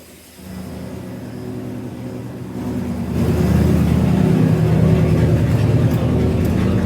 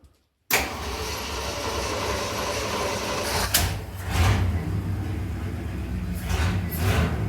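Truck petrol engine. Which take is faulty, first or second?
second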